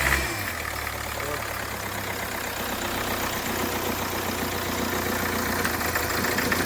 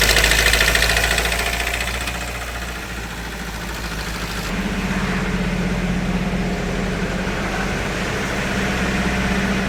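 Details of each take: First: Hyundai Creta diesel after engine rebuild and timing chain remarking, previously knocking with white smoke and hard starting: engine catches and settles into a steady even idle with a low hum, no heavy knock. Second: Hyundai Creta diesel after engine work elsewhere, timing tensioner already replaced: idles with hard, regular rattling knock three to four times a second, plus blow-by, white smoke and starting trouble; diesel engine knocking at idle.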